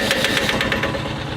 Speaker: Now, we're working on this little compressor, which I'm oddly very excited about for some reason. It's just cool cuz it's like this little enclosed unit that uh packs a pretty good punch as far as power goes and air flow.